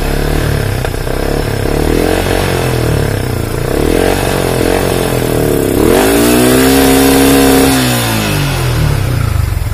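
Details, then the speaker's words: Yamaha Vixion New motorcycle with poor, uneven idle: revs rise unevenly and stumble as if about to die, only climbing once pushed to around 8000 rpm; hesitation under throttle. Weak battery suspected as the cause of stalling; not confirmed. "tapi kalau saya naikkan high RPM tengah dia masih dapat sampai mentok ya tapi kalau sudah kita naikkan segini nah Kara Lala cepet-cepet ya kayak mau mati ya"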